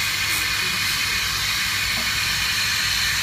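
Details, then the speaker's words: Subaru WRX MY13 intake pressure-tested at about 5 psi with a GFB blow-off valve returned for suspected boost loss: a steady, high, airy hiss from a tiny leak at the valve flange gasket; valve otherwise works correctly with no boost loss. "a tiny leak here at the gasket."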